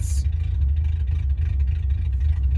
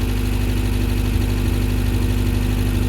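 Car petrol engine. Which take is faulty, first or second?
first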